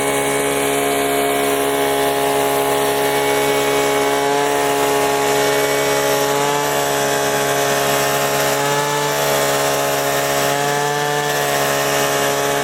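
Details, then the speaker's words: Gasoline leaf blower that wouldn't start, now refilled with gas: continuous two-stroke buzz holding steady revs with small pitch swings, no misses or sputter; running normally. "all right let's try to start it up there you go well there you have it now you can go blow off all those leaves on your property"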